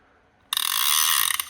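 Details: PENN 114H reel returned from factory service with its parts replaced: crisp, rapid, even clicks for about a second as line is pulled. The clicker works normally.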